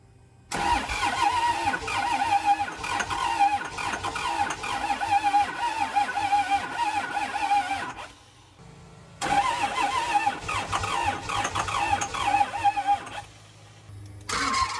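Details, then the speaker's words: Abandoned diesel motorhome after fuel filter change: repeated long cranking bursts with a steady whirring beat, never catching; owners suspect fuel not reaching the engine due to air in the system, bleeding it. "we think the fuel is just not getting there so we're trying to get all the air out of the system"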